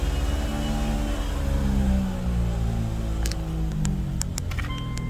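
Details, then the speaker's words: Wife's car with a loud whirring, airplane-like humming from the front end: steady low droning hum under road noise in drive at about 35–40 mph; owner notes the axle shaft wobbles; wheel bearing hum. "So I'm going to start the car and see if we can't hear that noise once we put it in drive. So we're at about 35-40 miles an hour right now, and I can hear quite a large humming."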